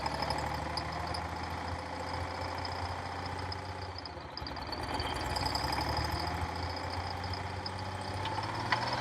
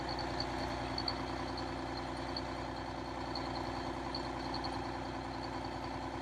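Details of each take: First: Cold start of a Detroit Diesel 6V92 in an MC9 bus in late October, engine about 39–40°F: an uneven, stumbling idle with irregular knocks, as if not all cylinders are firing. It smooths out with more throttle. The owner suspects leaking/clogged injectors or stuck rings. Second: Detroit Diesel 6V92 in MC9 bus, cold start in late October (engine around 39–40°F): after more throttle all cylinders light, now a steady, smooth idle with no misses; owner suspects leaking/clogged injectors or stuck rings.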